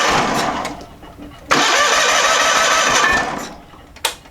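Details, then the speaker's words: John Deere 318 garden tractor with Onan P218G engine: strong, steady cranking that never catches, as the stuck-closed carburetor needle valve starves it of fuel; no start due to fuel starvation, fixed by cleaning the carburetor. "cranks over really well it's looking like right now we need to address a fuel issue"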